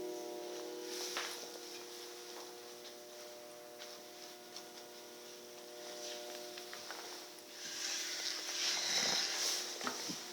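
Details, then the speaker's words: Promethean EST-P1 projector making an abnormally loud running noise when switched on: a loud airy hiss over a steady mid-pitched hum, far noisier than normal. "Promethean EST minus P1 or something like that, and making unusual loud noise when switched on, as can be heard now."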